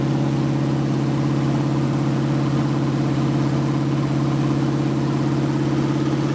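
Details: 1980 Dodge short-bed truck big-block V8, first run in 14 years, during cam break-in after converting from points back to factory electronic ignition; smooth even rumble at steady high idle, no misses, knocks or ticks, normal running.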